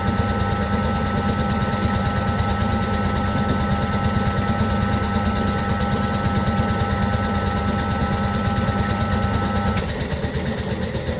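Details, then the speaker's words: Servis (Eudora) 386 compact 3kg washing machine on spin after the main wash. Steady motor hum with quick ticking about three a second, then the drive note drops away as it aborts to rebalance; it took long to balance and spun only briefly: unbalanced spin load. "all right so they are not very well spun in other words it took that long to try and balance when it did eventually spin it didn't spin very long"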